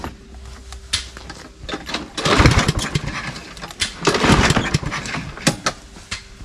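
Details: Toro Recycler walk-behind mower, Briggs & Stratton engine with plastic carburetor: pull-start rattle, then two short firing bursts that die within a second each, starts only on starting fluid; fuel starvation from a dirty, water-contaminated carburetor.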